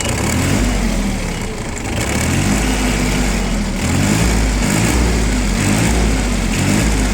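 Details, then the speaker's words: Yanmar Ke-3 mini tractor with rotary tiller, 245 engine hours, idling with throttle-pedal blips: the small diesel picks up cleanly and holds a steady, even chug with no knocks or misses. It responds well to the throttle, runs smoothly and is healthy. "Прекрасно реагирует на педаль газа, никаких проблем при этом не испытывает."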